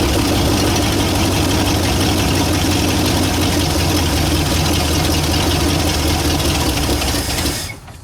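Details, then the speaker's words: 1960 Ford F100 with 351 Windsor V8, not run in decades, siphon-fed with fuel poured into the carburetor: fires and holds a lumpy, loping idle for several seconds before the key is cut. Rough idle, carb suspected empty and needing cleaning. "Looked like it started and kind of idled."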